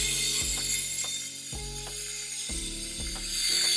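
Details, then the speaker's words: Espresso steam wand with the tip too deep in the milk: steady loud hiss and shrill squeal with no paper-tearing air intake, so no air is added and the milk is superheated into hot, thin, unfoamed milk. "Starting off, basic mistake that we make is that our steam tip is just in too deep."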